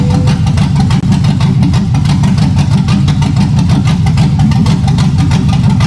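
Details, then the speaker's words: 1965 Impala V8 build after rewiring: deep, steady idle with a slightly lumpy lope from a mild cam, firing evenly and strong; runs good. "All right, YouTube. Y'all just heard it run, man. She runs good. Damn good."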